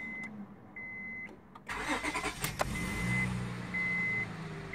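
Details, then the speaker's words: 2004 Honda Odyssey, 120K miles, after replacing the EVAP purge control solenoid (chatter/clicking when warm or stopped): door chime, brief crank, quiet even idle with no chatter and no check engine light; noise fixed. "runnin no check engine lights and okay there it is the noise is completely gone the chatting of noise is completely gone so this is a successful $10 quick fix for me"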